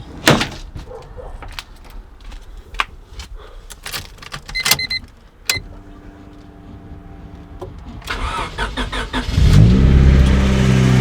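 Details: Turbo Honda Civic after installing a new Evil Energy adjustable fuel pressure regulator, fuel pressure about 30 psi: clicks, then the engine catches and settles to a smooth, steady idle. Normal start.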